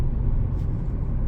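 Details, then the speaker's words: 2016 Nissan Leaf SL with 40 kWh replacement battery pulling away in residential driving, 0 to 40 mph: low road rumble, almost no motor noise, contactor clicks; normal quiet EV acceleration. "Pretty quiet, everything working as it should."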